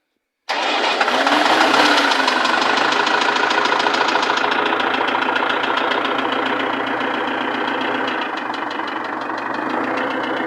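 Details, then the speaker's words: Perkins-replica diesel after overhaul, starting and idling: steady sharp ticking knock about three to four per second; valves adjusted repeatedly, even fully tight, pistons don't hit valves, protrusion normal, knock persists. Valve knock. "я частные реплика перкинса на photonic двигатель после капремонта звук клапана регулировались несколько раз вплоть до полного зажатия но стук не уходил"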